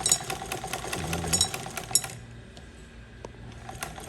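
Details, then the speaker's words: Sewing machine after fixing loose flywheel (chuck nut tightened): quick rattling stitch rhythm about 150 per minute, then easing off; slight play remains but no flywheel knock, runs fine. "तो जैसा कि आप देख रहे हैं, अभी मशीन बिल्कुल ठीक ठाक हो गई।"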